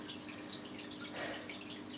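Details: All Pond Solutions external canister filter after trapped air purged by priming and shaking: only a soft steady pump hum and light trickling water, no splashing or gurgling; running normally.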